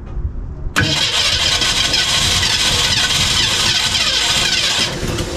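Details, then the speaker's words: 1965 Ford Mustang, originally C-code 289 converted to 302 V8, first start attempt on fresh gas: abrupt loud cranking with sputtering, tries to fire about four seconds but won't keep running; owner suspects the carb is done, gasket leaking fuel, new carb planned. "so I think the problem here is it's wanting to kick over but carb is just done it's bad news"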